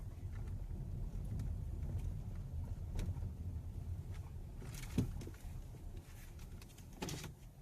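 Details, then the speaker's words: Hyundai Elantra while driving: two dull clunks over steady low road rumble; worn engine mount knock. "Hyundai Elantra engine mounting noise."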